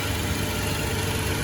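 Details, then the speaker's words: 2017 Toyota Tacoma 3.5 V6 after fixing a no-start at the crankshaft sensor and cleaning the camshaft sensor with starting fluid: fires right up into a low, steady, even idle rumble with no stumble or miss. "so I cleaned those starter through it and I'm sure that helped and now I fired right up and it's running right now"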